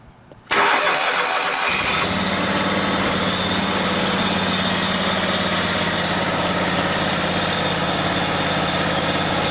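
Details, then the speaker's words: Briggs & Stratton Vanguard 37hp big block EFI engine after fuel pump pressure test (target 39 psi): cranks, fires, stumbles briefly clearing air from the fuel line, then runs steady with no surge; surge fixed. "That is perfect there. It doesn't even run like the same engine. You could hear the engine struggling to get a little bit of air out of the line. Once that air cleared out, it ran perfectly."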